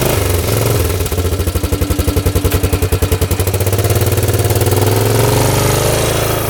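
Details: 1998 Yamaha Grizzly 600 4x4 ATV after fixing its 10–15 mph top-speed limit: single-cylinder pulls cleanly, firing pulses steady as speed climbs, no misfire. Test drive reaches an easy 55; completely fixed.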